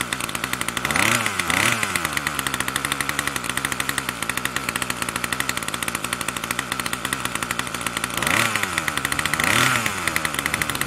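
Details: Troy-Bilt TB2MB two-stroke trimmer after a new short block is fitted, primed and choke on: fast buzzy note stays high between two brief blips and never settles; the throttle cable never returns to idle.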